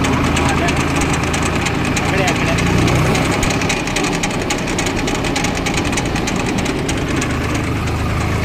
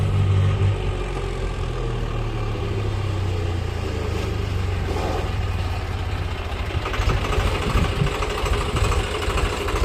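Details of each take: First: Swaraj 735 tractor in second gear with a rough, rattling grind from the right-side brake drum, louder under brick load, disappearing when the brake is touched and returning on release; worn bearing suspected, brake drum and bull pinion bearing replaced. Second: Swaraj 735 tractor on road test after replacing the worn right-side bull pinion bearing and oil seal: engine chugs with a low, even drone, no scraping or knocking from the right brake drum, which was noisy under load before.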